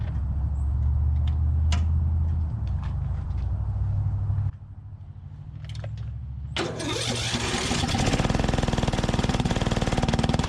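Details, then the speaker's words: 2004 Craftsman DYT4000 riding mower, fuel system repaired, valve adjustment pending: uneven idle dipping almost to stall, then surging loud wavering run; owner suspects carburetor, plans cleaning or replacement. "all right well clearly i've got some more carb work to do and i'm gonna try to clean this carb"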